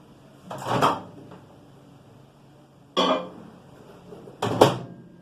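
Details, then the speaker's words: Microwave oven on switch-on gives three short crackling, buzzing zaps over a faint steady hum; the noise is high-voltage arcing at the magnetron antenna dome, fixed by cleaning and replacing the dome. "Es un arqueo de alto voltaje, pongan atención."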